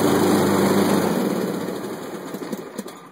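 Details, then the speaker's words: Craftsman LT 1500 lawn tractor, nearly new at about 10 hours: engine runs evenly, then sags and stalls when the blades are dropped to mow, with a smell of gas; owner suspected flooding, and it was later traced to a bad wiring harness. "and there it goes it quit that's exactly what it's doing smell some gas right now um so I'm thinking the engine is I'm thinking something is causing the engine to flood"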